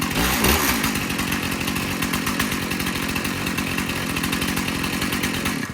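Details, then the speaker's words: Stihl MS291 chainsaw, sold new in 2019, test-run outdoors before service: crisp, even two-stroke buzz with steady firing and no stumbles or surging, then shuts off cleanly; runs normally. The loose bar nut vibrated off. "well I think starts and runs no problem"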